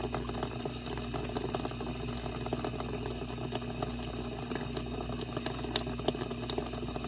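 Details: Dishwasher test run after water inlet valve repair/replacement: steady rush of water into the plastic tub with even hiss, no sputter or chatter, no drips; fill normal.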